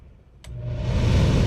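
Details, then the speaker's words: Camper air conditioner after replacing parts (unit had only clicked and moved no air): a click, then the fan spools up into a steady, even air rush, no rattle or squeal. Working normally. "Oh, I guess I had to switch over. I don't know. Didn't sound any lower. But it worked."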